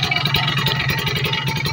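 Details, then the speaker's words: Kawasaki Ninja RR two-stroke after cleaning the power valve (superkip), carburettor and reed membrane: crisp rising rev with a clean even bark, no misfire or rattle, louder than before; power valve opens around 6,000 rpm; healthy. "Oke motor sudah lebih nyaring kayaknya suaranya ya Seti itu pergerakan dari superkipnya itu e dia membuka sekitar di 6.000 rpman ya"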